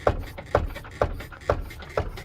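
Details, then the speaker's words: Turbo B18-swapped Honda: about five hollow clunks as the corner is pushed, which the owner thinks is the shock bottoming out on the top hat. "I think it's actually the shock bottoming out on the top hat."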